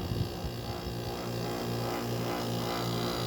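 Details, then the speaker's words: White-Westinghouse (WCI) 5k window air conditioner with fan deliberately stalled: low steady electrical hum with faint buzz as fan motor strains; owner says it could use some oil. "it's not happy with it being stalled yeah it could use some"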